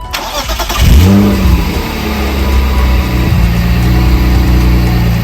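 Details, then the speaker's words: BMW E36 M3 first start after replacing coolant hoses, with the bleed screw loose for bleeding: it cranks, catches right away and settles into a steady, even idle. The engine had long been misfiring, but that has stopped. Normal start and idle. "Sounds good. Yeah, it does. It starts right up."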